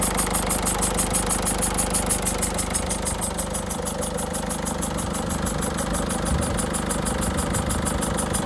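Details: 2006 Peugeot 307 1.6 HDI diesel idling after a new battery was installed: steady ticking clatter about three per second with a faint high hiss on top; owner thinks the hiss comes from the injectors, unconfirmed.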